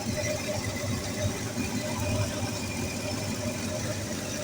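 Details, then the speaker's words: 1965 Ford Mustang 289ci V8 idling cold with about 50 psi oil pressure on the newly added sensor: even, steady idle with a soft low burble and no knocks or ticks; normal cold idle. "Donc là je suis à froid, j'ai environ 50 PSI. Ce qui correspond à peu près au milieu de la jauge sur l'ancienne."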